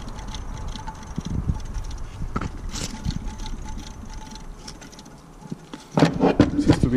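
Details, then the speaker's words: Failed alternator removed from a Buick Grand National, spun by hand: dry, uneven crunching and scraping bursts from disintegrated brushes, plastic chunks inside, burnt internal connections; alternator brush failure. "we're going like we're good you can actually hear whatever failed in there now yeah"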